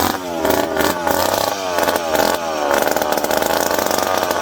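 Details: McCulloch PM700 two-stroke chainsaw, newly ported and running for the first time, still needing break-in. Sharp buzzy note rising and falling with throttle blips, firing cleanly and settling into a steady run. Normal running.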